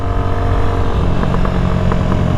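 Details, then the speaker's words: New Amazon-bought dirt bike on its first ride, cruising on the street without pegging it: steady single-cylinder drone with sharp pops and crackles as throttle eases; exhaust pop and crackle on deceleration. "Oh, got that BMW pop crackle tune. Oh yeah, dude."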